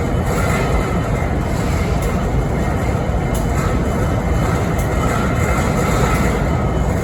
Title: Strange Noise on BNSF 5910 idle’s in Springfield Missouri 11-13-2022